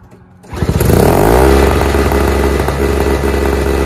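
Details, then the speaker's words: Toro/Craftsman single-stage snowblower sat over a year, needed much more than gas, the smoky hard one: small two-stroke catches and settles into a busy, slightly uneven buzz, about three to four pulses a second; now running. "today we got three snow blowers going from my garage sitting for over a year getting them fired up those two just needed gas this one needed quite a bit"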